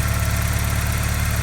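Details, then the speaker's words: 1987 Porsche 944 four-cylinder idling right after fitting a second set of cleaned, flow-matched injectors (first set had two dead); even, steady low idle pulse, no misses or ticks; smoke off headers normal after work, no leaks, oil pressure builds slightly slowly. "So once I got the new injectors in, I decided to fire it up, and as you can hear, it sounds really"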